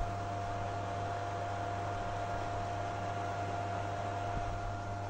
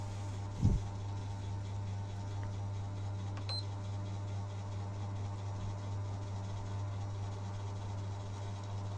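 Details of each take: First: PS3 console, noisy vibrating sound at startup, after dust cleaning: steady rushing fan noise with thin whine and low hum; the noise comes from the worn cooling fan, which may need replacing. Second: Sony PS3 after fan replacement to cure noisy grinding vibration at startup and slow loading: low steady hum of the cooling fan running smoothly, heard up close, no rattle or vibration, normal quiet fan.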